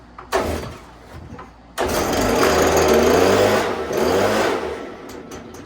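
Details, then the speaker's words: Stihl BG86 2-stroke blower, before carburetor adjustment: revs briefly after the pull start, then the buzz sags and fades off when the trigger is released; idle set too low, so it stalls. "So it doesn't idle high enough, just when you let off the trigger."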